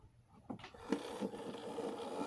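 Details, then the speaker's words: Hornby Ruston 88 diesel shunter model (R3896), first proper run on cleaned track: faint motor whirr that starts, stalls and surges unevenly, hesitant and needing coaxing, running rough. "Not the smoothest in the world. And it does need some coaxing."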